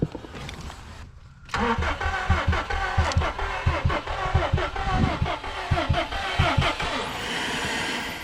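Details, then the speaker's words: Salvaged 2015 Subaru STI (Copart) sitting, battery charged, catalytic converter missing: starter cranks slow and uneven, about 88 turns a minute, engine never catches; crank no start, suspected weak or dead battery or fuel pump, fuses checked OK. "seems like the fuel pump like fuses taken out or something we checked all the fuses how they're supposed to be from the factory doesn't look like any of them are blown and i did charge up the battery but maybe it still doesn't have enough juice to operate"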